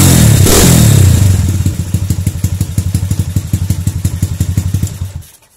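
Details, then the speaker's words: Honda Tiger/CB single with AC ignition, after rewiring stator-CDI-coil ignition harness: loud start and rev, then steady even thumping idle at about four beats a second; runs properly. "Oke, kita akan coba hidupkan motornya ya para brother semua. Maka motor ini bisa hidup."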